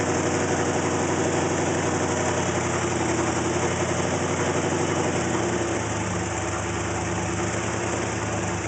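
Idle has an uneven, lumpy beat with a low shake that never settles into a clean rhythm, so this engine is idling rough.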